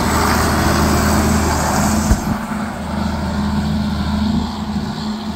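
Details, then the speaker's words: John Deere 4440 diesel tractor, restarted after about 12 years in storage, runs with a deep, steady rumble, even beat, no knocks or misses, a little wind; the engine runs strong. "great hopefully there's not too much wind noise wow sounds really good"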